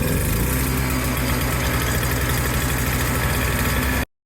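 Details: Old Toro CCR200E snowblower after brittle fuel lines and carb were replaced from a kit: a steady, even low putter without stumbling or surging before cutting out briefly; the small engine now runs healthy.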